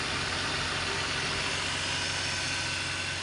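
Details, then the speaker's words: BMW E46 idling after the alternator bearing was replaced: an even, steady idle with a smooth hum. The earlier humming and roughness are gone, and the engine and charging side sound healthy. "kemarin kemarin kalau dimatikan itu bunyi dengung ya ini mesin juga agak lebih anteng daripada yang kemarin"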